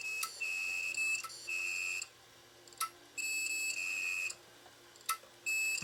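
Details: Failed 1TB hard drive (Toshiba or Western Digital) from a DVR that failed due to bad HDD, beeping on power-up: high steady second-long beeps every couple of seconds between faint clicks, never spins up properly; drive is junk.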